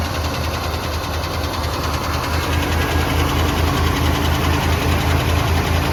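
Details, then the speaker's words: Boat-tail Buick Riviera V8 just started, with pink valve covers; a steady idle with a light regular tick about two per second. The owner suspects a loose lifter, unconfirmed, and plans to check the oil. "and it sounds like a loose lifter or something like that to me a little tick"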